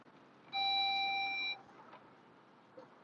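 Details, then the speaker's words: Audi S5 cabin, driver-assistance system repeatedly giving its watch-the-surroundings warning: a single steady high chime of about one second over quiet cabin noise. Normal warning chime. "and then my thing keeps going off to say watch for the surroundings"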